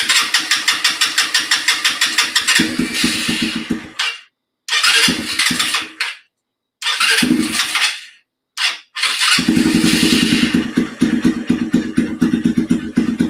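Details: Off-road vehicle with the factory exhaust refitted and low on gas. Rapid starter cranking in several long bursts with pauses before it catches and settles to idle; slow to get fuel, cause not confirmed.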